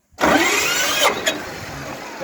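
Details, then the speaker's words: Shifeng Chinese mini tractor that would not start after a winter stored in the garage; a bad starter wire was replaced on the original terminal. The starter spins briskly and the small diesel catches at once, running evenly. Normal start. "стартер працює все хорошо В нас все працює"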